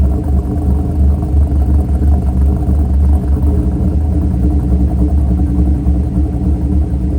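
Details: Mercury Grand Marquis 2V V8 with Todd Warren custom grind cams, after modifying AFE intake so IAC valve works: deep lumpy idle, uneven lope near three pulses a second, steady and settling.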